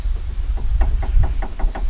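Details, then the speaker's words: 2010 Nissan Altima, passenger-side front stabilizer (sway) bar link rocked by hand, giving quick hollow clicking knocks about five a second. The same knock is heard over potholes and rough patches. The link is worn and being replaced. "hear that That Knocking Noise that's happening inside here and that's the noise I hear when I go down the road and I go over like potholes or a rough patch I'll hear that really badly so I've got to replace this link on this side"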